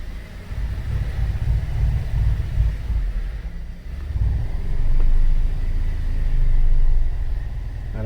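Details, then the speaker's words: 2013 Cadillac SRX at 114,000 km, rear wheels off the ground and traction control off. A heavy low rumble with uneven thumping comes from under the middle of the car: a failed rear driveshaft hanger (center support) bearing, fixed by replacing the whole driveshaft. "there's a thumping noise under the middle of the vehicle and a huge just pop it in neutral let's try to step on the brake and the abs goes crazy"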